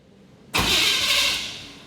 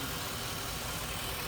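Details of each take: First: 1987 Chevy C10 with 305 throttle body injection: three times it catches, roars briefly, then fades and dies; won't stay running, traced to rust and grit packed in the injector bowls. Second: 1987 Chevy C10 with 305 TBI, after tune-up and throttle body rebuild clearing rust and grit from the injector bowls: steady, even idle with no misses, knocks or surges; normal idle.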